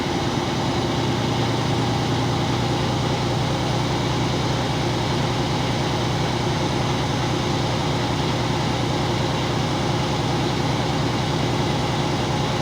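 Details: Truck at idle during the California air brakes cut-out test: steady diesel idle with an even, continuous chugging and no knocks or rattles while the air compressor fills the tanks, with the primary gauge slowly rising. Normal charging.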